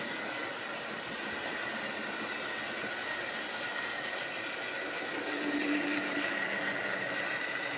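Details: Wrenn West Country class model loco Lyme Regis, not run since the 80s, after joints greased and reassembly: steady, even motor whirr with clean high hum, no knocks or catches; runs smoothly.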